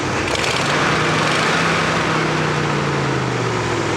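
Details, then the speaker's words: 1967 Buick Riviera V8 idling after a drive on a very hot day, temperature gauge mid-range: steady loud whooshing fan roar over smooth, even idle; normal cooling fan operation. "That's all the fan roaring. And it's so hot. It is so hot."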